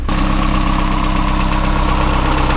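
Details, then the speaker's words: Boosted Mazda Miata after crankshaft pulley repair with new 6mm hex bolts and alignment pin, timing checked at 10°: smooth, even idle, steady low pulse, no clatter or ticking; healthy. "so she is done complete uh fixed and it sounds great"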